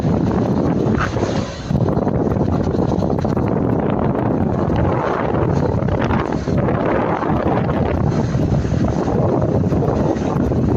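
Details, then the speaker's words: Lada Niva Travel driven on same rough road after fitting clips to rattling front brake pads: steady tyre roar and wind, no rattle or knock; quiet brakes after fix. "Итак шума то нету удивительный ведь человек оказался прав"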